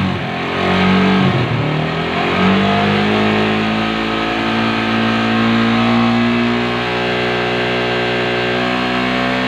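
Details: Suzuki Satria FU 150 after engine teardown and rebuild; revs up and settles with smooth rising and falling note, no knocks or rattles, healthy.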